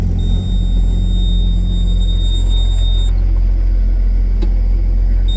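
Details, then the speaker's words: Case STX375 tractor, repaired: deep, even idle rumble with steady firing, no knocks or misses; runs and drives, though it still won't shift into 13th gear or higher pending a solenoid. "but it does run and drive on its own and it can be moved and that's what the uh owner wanted"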